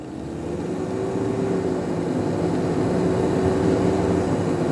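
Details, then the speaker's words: 1993 Toyota Hilux Surf, 3-litre four-cylinder diesel, automatic, driving up to 30–40 mph. Loud steady rushing roar swelling with speed. Driver suspects the viscous fan isn't disengaging when the engine is cool. Unconfirmed. "There is a lot of noise. I think it's got a viscous fan, and I don't think the viscous fan is working."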